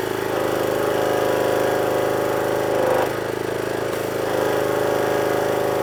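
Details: Power washer small engine that previously would only run on choke, after repair, with water on and new lance: holds a steady, even beat off choke with only a brief dip in speed, no surging or dying; running properly.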